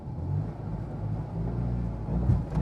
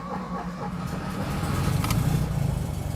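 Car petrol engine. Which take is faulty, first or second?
first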